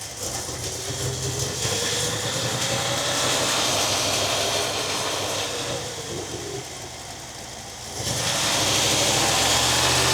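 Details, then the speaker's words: 1961 Buick LeSabre V8 after a radiator and fan upgrade, idling then revving. A clean, steady rising roar with no fan roar over it, much quieter than before; normal revving. "I'm going to rev it up. And you just hear engine sound, which is nice."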